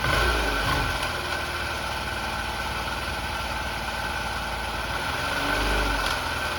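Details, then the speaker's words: Honda Elite 80 (CH80) two-stroke scooter, bought non-running, just restarted after carb cleaning, jammed throttle slide freed and fresh gas, warming up: uneven rough popping idle with slight revving swells and crackling; owner suspects oil pump not working, needs tuning. "I was hearing that kind of crackling noise earlier. Maybe the oil pump doesn't work."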